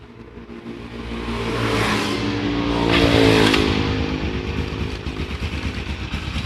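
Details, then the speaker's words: Honda Supra X 125 motorcycle after replacing the loose cam chain with a new one: revs then settles to a steady even idle, no top-end rattle or clatter; normal idle after repair. "Ini suaranya teman-teman, adem ya. Adem ayam."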